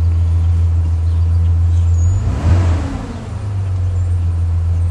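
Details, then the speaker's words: 2005 Chevrolet Silverado after new parts fixing weak spark on cylinders 1 and 2 misfire: smooth even idle with one quick throttle blip, no misfire; normal idle after repair. "start it right up and i can already tell you it's running nice and smooth super smooth i don't feel any misfires at all"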